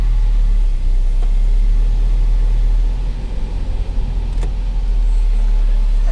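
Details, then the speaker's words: 2010 Chrysler Sebring Touring four-cylinder salvage car, idling just after a cold start with the air conditioning working: even, steady low hum with no knocks, ticks or misses. A normal, clean-running idle. "There it goes. It runs great. It's a cold start."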